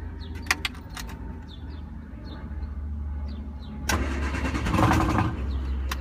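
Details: 1974 MG Midget cranks steadily, about three turns a second, but never catches; spark plugs cleaned and starter fluid tried, fuel pump reported fine, owner suspects too little air; cranks but won't start.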